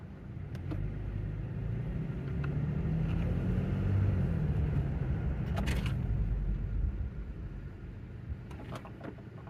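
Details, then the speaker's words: 2016 Toyota Tacoma after the fix: rear clunk when braking and stopping, traced to the rear air bag/lift-kit bracket. Test drive gives low road rumble while slowing and stopping with no clunk from the rear end, now pretty quiet. "Pretty quiet. Okay, that's as good as I'm gonna make it."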